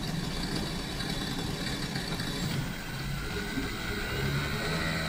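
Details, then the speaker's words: Rebuilt electric-vehicle AC compressor run on a test bench with nitrogen before refitting: an even electric hum with a faint whine that climbs as pressure builds to 5 bar, with no knocking or grinding. The compressor works well. "Компрессор запустился, работает хорошо."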